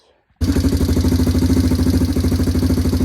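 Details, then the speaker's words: Four-wheeler (ATV) right after start-up, after a makeshift repair of the exhaust gasket packing that fell out at the header: even steady idle thump with no sharp ticking or puffing at the header; leak sealed, better but not perfect. "That's pretty good. I'm not going to lie. Not as good as it could be, but it's better."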